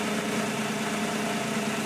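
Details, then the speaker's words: 1991 Honda Acty Van SDX, mid-rear engine, warm idle: smooth, steady low hum with no squeal or chirp; a sound heard only on cold startup is suspected to be a belt. Normal idle. "and actually you can't hear it anymore so never mind it doesn't have a sound on cold startup it did which leads me to believe that it is probably a belt"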